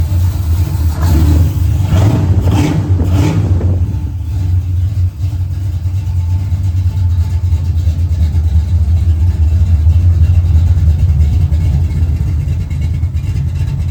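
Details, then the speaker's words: 1980 Camaro Z28 freshly rebuilt big-block Chevy (Patriot heads, 1.8 rockers, Howard's hydraulic roller cam), base timing 10 degrees, first start: a few quick revs then deep, steady, even idle, no knocks or ticks; runs well, possibly slightly rich, may need tuning. "Guys, the damn thing runs. I need to wipe down the polish, wipe down the valve covers, but it runs and it sounds pretty good."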